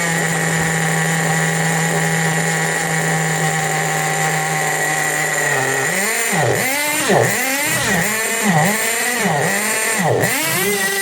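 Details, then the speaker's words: 1/8 Tamiya Nitrage 5.2 nitro RC truggy, built in 2008 and just out of storage, on the bench: high buzzing scream, revs surging and sagging as the throttle is worked, cutting out on release; idle likely set too low. "I think it's the idol Now isn't it that because soon as I release the throttle it's cutting out"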